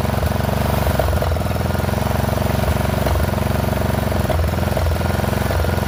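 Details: Poulan XT 12538 riding mower, 12.5 hp single-cylinder, 38-inch deck, warm, on a new replacement carburetor (old one leaked gas into crankcase): uneven idle thump, beats stumbling every second or so. Rough running; owner suspects valve clearances need resetting.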